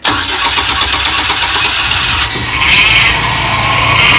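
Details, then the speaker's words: 4.3L Vortec just started after crank-no-start repair; harsh, hissy scraping steady over idle, owner thinks fan still hitting plastic. "that sounds a little better think that fan is still hitting might be h plastic down there too but hey it's running now"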